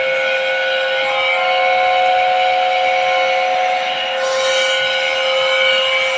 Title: 160 TR water cooled chiller compressor abnormal sound detection.